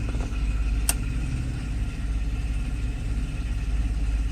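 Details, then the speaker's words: Mercedes SL600 after repair of the E-gas throttle module (burned area from shorted throttle body wires bypassed), in-car test after throttle learning: low, even idle holds steady without hunting, and acceleration is okay; a squeal heard is the shop air pump. "okay so yeah it looks like idle speed is okay acceleration is okay too"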